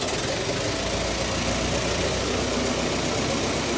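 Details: Roughly 109-year-old Ford Model T four-cylinder after a snow drive: an even, steady chuff at a relaxed idle with no misses or knocks, left running to burn the fuel out of the system; runs normally.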